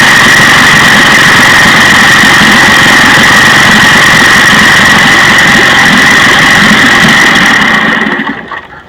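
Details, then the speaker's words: 1956 Johnson 15 HP two-stroke outboard runs loud and buzzy with an uneven, sputtering beat; the miss moved from the bottom to the top cylinder, which a timing light shows is not firing. "so to me that's pretty good pretty steady spark you can hear the motor sputtering as it runs"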